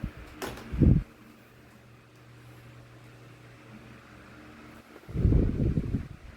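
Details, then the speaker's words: 2016 Arctic Wind 12-inch desk fan oscillating with a low, steady motor hum and no jerking or clicking; handling knocks at start and end, gears working normally. "That is one smooth oscillation right there. It's not jerking, it's not clicking in place. The gears seem to be fine, they have no issue at all."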